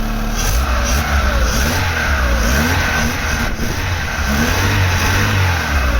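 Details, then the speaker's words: Mk3 Vauxhall Astra 1.6 LS saloon petrol, first run in over 10 years: the engine revs up and drops back cleanly with no rattles or misfires. Normal revving. "here's every demonstration how sweet this engine has gone fire up no bad at all i'm not having run for probably over 10 years"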